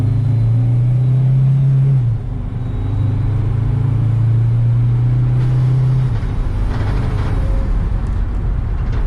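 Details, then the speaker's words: 2004 Mercedes Sprinter diesel, with fuel injector leak (black death) problem, on a test drive after its codes were cleared. A strong diesel drone climbs under load with no knocks or misses, pulling slightly less than normal, possibly just van-to-van or turbo variation. Healthy acceleration. "Accelerates good. A little bit less than normal, but that could be to just a different van."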